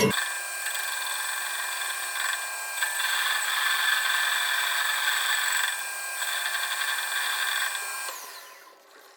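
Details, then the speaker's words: Lathe boring tool cutting inside steel tube: a steady high cutting hiss with uneven clicking each turn as the tool bites the internal weld scarf, which was not removed during tube making. "the internal scarf has not been removed in these tubes and you can hear the tool clicking as it cuts into it this is a result of the tube making process"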